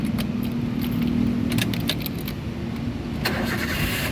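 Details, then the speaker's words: 2009 Toyota Avanza 1.3 G manual, about 130,000 km, oil and coolant checked: engine catches immediately and settles into steady even idle, no prolonged cranking; normal healthy start. "bagus dia nyalanya langsung jreng."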